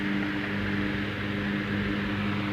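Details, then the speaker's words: 1931 Emerson desk fan, Model 29646, on the repair bench before cleaning and oiling. Even motor hum and smooth airflow rush with no rubbing on high speed, drawing 840 mA and 60 W. Normal running on high speed. "okay so we'll go to high is high and running good"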